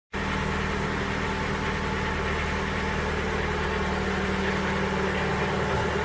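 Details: Ford Focus 3 with PNDA engine at cold idle: steady running with a dull, regular knock underneath at engine speed. Cold-start knock, cause not yet identified.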